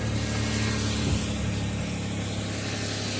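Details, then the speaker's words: Minivan after exhaust repair: quiet low even idle hum with no puffing or ticking; new exhaust section sealed, no leak from it. "Oh my goodness, it's so quiet. Immediately. Yeah, I did that one. That's hilariously not leaking at all."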